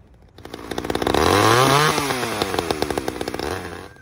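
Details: Stihl two-stroke engine during official carburetor tuning, warmed up one minute varying throttle: revs up, drops back, settles into steady even idle without stalling or hunting; idle set right, before setting spec 2500 plus 500 rpm.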